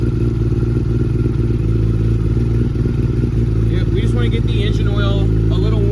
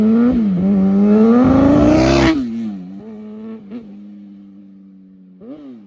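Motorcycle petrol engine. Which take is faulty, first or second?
second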